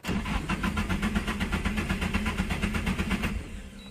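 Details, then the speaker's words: Nissan 240SX S13 SR20DET turbo after oil change with 10w30 synthetic, coil packs unplugged: steady cranking, about two to three beats a second, for three seconds with no firing; a clean priming crank to get oil to the turbo. "so the oil pressure and the oil reaches your turbo so you don't start it up with no oil in your turbo and I'll do that right now I'll crank it over for about five seconds"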